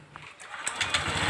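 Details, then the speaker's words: Honda Vario 125 New scooter after brass-welding ~2 mm onto cam chain tensioner lifter tip to fix rough tek-tek noise at idle and off-throttle; smooth quick idle, no ticking or rattle; normal idle. "baik temen-temen sudah berhasil hasilnya normal Ya seperti baru lagi"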